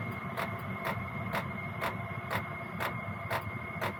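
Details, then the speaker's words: Gearlasso 8kW 12V/24V Chinese diesel heater in manual gear mode, warm, settled at P1 lowest constant output, not temperature-controlled: steady fan hum with even fuel pump ticks about two per second; normal low-output running. "And that's now settled back down to the lowest setting. And that's the lowest power output, constant power output."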